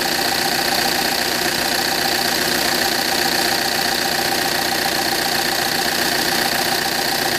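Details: 2009 Audi A6 2.0 TDIe diesel at idle. A steady, sharp metallic tapping about 2.5 per second over the clatter, apparently near the common-rail fuel rail; source unconfirmed. The alternator also behaves oddly.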